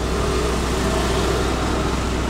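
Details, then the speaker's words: Suzuki Splash after repair of a stalling fault with check engine light, now off: idle with AC switched on as load, rpm raised to 900, a steady, even hum with no stumbling or dying. "kita coba kasih beban hidupkan AC sedih rpm nya sudah diangkat 900 masih hidup"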